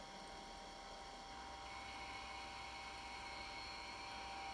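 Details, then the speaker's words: IBM PS/2 Model 70 Type 8570 powered on with a network card installed: a steady fan hiss and faint hard-disk whine, but no POST beep. CMOS battery reads 1.7 V instead of 6 V, though owner says it should still boot. "all right well the fan spins as you can hear we got power the hard disk spins we don't get the beep"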